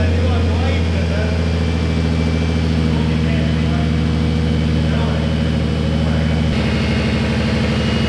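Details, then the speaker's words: Nissan 350Z (VQ35DE) just after its first start following a turbo install: it settles into a smooth, even, muted idle with no knocks or ticks, the engine itself now audible; healthy. "I have a turbo beast! You can now even hear the engine, you didn't use to. Now Karel will be hearing the ticking."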